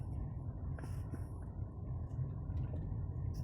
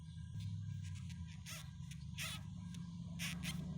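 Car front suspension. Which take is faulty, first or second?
second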